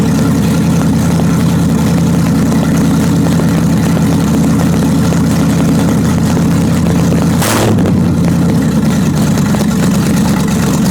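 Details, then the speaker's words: 1929 Chrysler with a 360 and cleaned-up 727 Torqueflite, jacked up with wheels turning in drive, brake applied: steady V8 drone that dips and labours as load comes on; engine pulled down through the converter. "I did get it to slow it down and you can hear the motor being pulled down"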